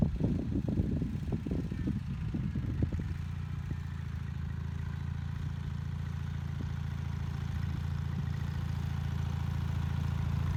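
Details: Bolens HT20 garden tractor on a test drive after repairing a flat rear left tyre; after early clatter it settles into a steady, even putter of about four beats a second, running nicely.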